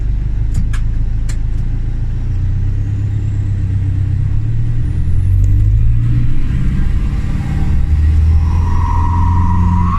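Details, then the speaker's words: Camper van diesel recorded on a track before the main road; deep rumble with a loud whistling whine climbing with revs; turbo working but very loud, though quieter than the day before; cause unknown, expensive repair expected. "So you can hear the turbo's working, but it's really, really, really, really, really, really, really loud. It's a lot quieter than it was yesterday."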